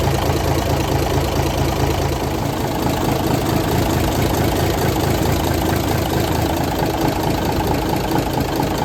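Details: 1978 International Transtar II cabover diesel, first start after sitting 3 years during restoration: steady, even idle clatter, no misses, hunting or knocks; running smoothly and healthy.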